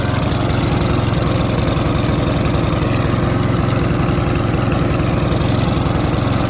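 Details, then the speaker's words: Mountfield RV40 150cc 45cm mower: even steady engine beat at constant speed, starts fine, no hunting or surging, so carb left untouched; normal running. "considering it's starting fine, it runs, no hunting or surging, I'm not even going to mess about with the carb."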